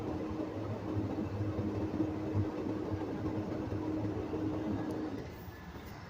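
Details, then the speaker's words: Diesel tractor idling during a CDL governor test: low steady compressor hum building air from about 100 PSI, then the tone drops away as the governor cuts out at 125 PSI; normal. "All right, Patrick, my governor cut off at 125 PSI."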